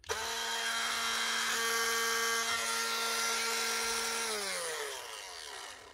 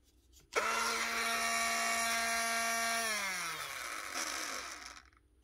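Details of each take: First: Clipster cattle clippers in for repair, heads rusted: rough, gritty whine and rattle through the gears, winding down unevenly. A stripped gear inside is suspected. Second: Clipster animal clipper motor in for repair, after checking the head and gear: starts cleanly, holds a smooth, steady whine and winds down evenly with no rattle or roughness; healthy motor.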